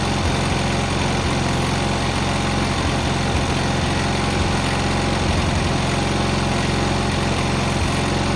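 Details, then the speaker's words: Cub Cadet 682 tractor with Kohler KT17 twin, first start after sitting (solenoid jumped, battery charger attached): steady, even low putter at idle with no knocks or misses; judged a good-running KT17. "This machine here is actually, I believe, that's a good running KT17."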